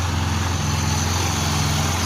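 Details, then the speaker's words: Cold Yamaha YBR 125 single, freshly rebuilt after a balancer-shaft noise, fires and settles into a smooth, even idle with a steady low beat and no knock or tapping; engine sounds healthy, noise gone after repair. "Ó, motorzinho tá frio. Funcionando aí,"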